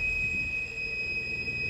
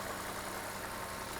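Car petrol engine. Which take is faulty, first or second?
first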